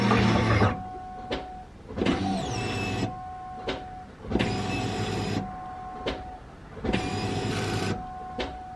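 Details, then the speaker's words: Cobra after a no-start, fuel line reconnected: three short, even fuel-pump buzzes at key-on, each about a second, with the pitch changing each time. This shows the pumps are building pressure; priming is normal. "as you guys could hear you could hear the pitch of the pumps change the first key on it was like me and then the second time is like me that third time was you that's how you guys know that it's actually making pressure"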